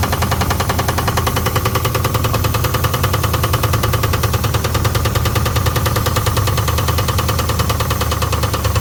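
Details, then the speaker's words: 1979 Pontiac Trans Am engine just revived after sitting over a decade, started with gas poured in the carburetor: a rough, uneven idle with a rapid knock about three per second; not thought to be the oil pan, valves to be checked. "but uh it's got a little bit of a knock right now I don't think it's got anything to do with this Dy oil pan I don't think that's rubbing against anything"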